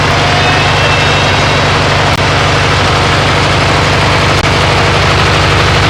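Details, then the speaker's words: MTD riding mower twin-cylinder engine running after head gasket replacement and swapping an aluminum flywheel Woodruff key for a steel one; steady low rumble, even firing, no knocks or misses, needs more choke, burning off oil and mouse debris smell; normal running. "it's been a very long battle yeah and uh all the oil i smell all the mice stuff burning off yeah it smells terrible but it works"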